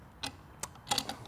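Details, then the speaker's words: Jeep mechanical locker with square-cut teeth ratcheting as one wheel spins against the other: sharp, uneven metallic clicks, normal locker operation that can jam and engage on throttle changes in turns. "when we start to spin you can really hear how this starts clicking now what will happen is is when you're in a lane changing maneuver or a slow winding turn and you step on the throttle or let off the throttle it'll actually jam these out together engaging your mechanical locker"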